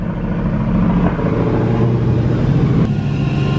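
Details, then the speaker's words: 2016 Hellcat, supercharged V8, first start after reassembly with new Metco supercharger pulley, front bumper refitted, jump-started after dead battery: steady, even deep burble, no knocks or misses, runs perfect; coolant a little low; normal idle. "I don't want to jump the gun or anything but you know it's always satisfying when you take someone apart put it back together and it runs perfect everything sounds good"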